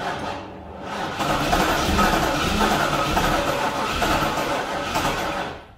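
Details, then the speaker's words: Pontiac Trans Am, fuel injector fuse pulled to crank without starting and build oil pressure: click at start then slow, labouring cranking; starter doesn't sound the best. "all right so i've cranked the engine over a bunch of times and i've let the starter cool off also it doesn't sound the best it clicks right in the beginning and then starts to go"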